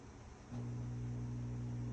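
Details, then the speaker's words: Whirlpool stacked washer on a drain cycle with the door locked: a steady low hum holds with no water moving; the drain pump hums but does not drain, likely a clog or something holding back the impeller. "you hear it so we might have a clog or something is holding back the impeller so you don't want to keep running it CU it's not draining"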